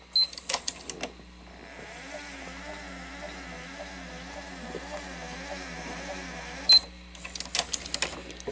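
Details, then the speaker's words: 1991 Sony SL-HF2100 Betamax VCR with jammed loading ring, no cassette tape, struggling to rewind: wavering mechanical whir rising and falling in pitch between transport clicks; abnormal, uneven rewind drive. "don't like the way that sounds play okay so we're gonna okay it's jammed up"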